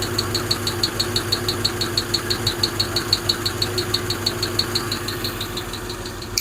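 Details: Hemi V8 idling with a sharp, even ticking about twice a second; top-end valvetrain tick, suspected wrong pushrod lengths from mixing 2009 Eagle and 2008-or-older parts, cause not confirmed.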